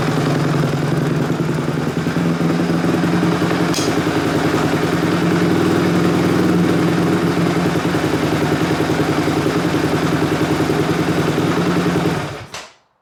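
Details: 2005 Honda CRF250X single after valve shimming, timing adjustment and carb clean, first start: crisp even firing at steady idle with a quick blip, then clean shutoff; smooth, normal running.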